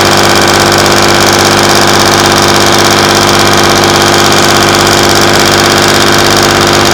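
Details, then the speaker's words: Class 117 DMU 51412 diesel, first start in 5 years after bleeding fuel air via the hand lift pump: loud, steady clatter at slow, even idle of about 500 rpm, no hunting or misfire; healthy. "Check. They're both idling. >> Okay. Now, what the idling at? >> They're idling at about 500."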